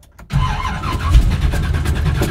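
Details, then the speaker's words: 1985 Chevrolet C10 with ZZ4 350 and carburetor, cold start; cranks then fires low and uneven, stumbling with repeated gas pumps; hard cold start, carburetor worked fine on another truck so owner suspects distributor. "This carburetor is not happy when it comes to cold starts on this motor."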